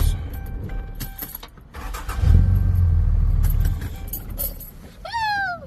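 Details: Ram 2500 with intermittent no-start, after burnt wire found and spliced with solder-seal connectors: brief crank and the engine catches straight away into a strong, steady rumble; clean start with no hesitation.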